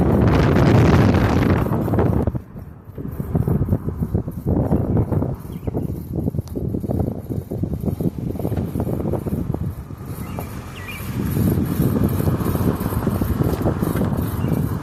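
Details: 2009 Ford Fusion, 109k miles, driving: rhythmic scraping grinding from driver-side front wheel, about three pulses a second, rising with speed whether straight, turning or braking; worsening over six months, cause unknown.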